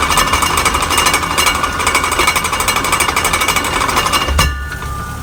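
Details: Harsh, rapid metallic grinding rattle from the rear differential, pulsing steadily then cutting off abruptly; cause suspected, not confirmed.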